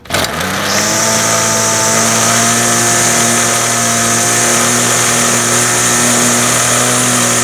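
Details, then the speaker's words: Ryobi two-cycle trimmer started for the first time in spring, using full choke then the middle position. Quick catch, then a steady, even high buzz; clean start and smooth run. "oh nice all right so that was uh that was beautiful as well that couldn't really ask for much more than that"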